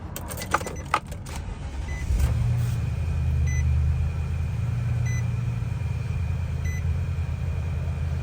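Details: 2020 Nissan NV3500 HD SL 5.6L V8, 4x4 converted, 44,450 miles: key clicks, quick crank and catch, then smooth steady idle under a periodic door chime; starts and idles healthy.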